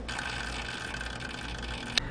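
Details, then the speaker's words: MSI 120R AIO liquid cooler on a custom desktop PC at startup: whirring with a thin whine and faint pump clicking from sediment blocking coolant flow; PC reaches 100 degrees under stress test despite fresh thermal paste and correct mounting. "msi admit and acknowledge that some of their liquid cooler having a problem with producing sediment that causing a blockage on their liquid cooler as you can hear from this pc right here when i start the computer that clicking or clicking noise"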